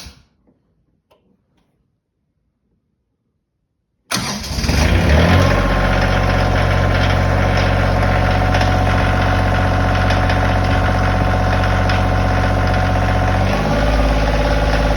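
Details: Kioti diesel tractor engine starting and idling: a steady, even knock throughout. The dealership service manager says it is normal for Kioti engines; a private buyer says it is not. The cause is unconfirmed.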